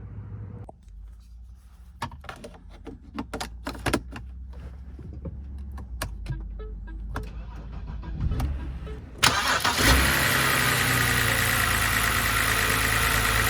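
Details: BMW E90 3 Series after starter replacement, test start with minimal reassembly: clicks and handling noise, then a brief crank, and the engine catches at once and settles into a steady, even idle.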